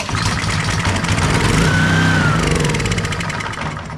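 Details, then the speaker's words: Honda pressure washer that sat all year in a basement and would not run, with a clean air filter, switch on, unchoked, carb cleaner squirted in: it catches and runs roughly a few seconds, then dies; fuel delivery fault. "and it is a fuel problem it is all right all right all right"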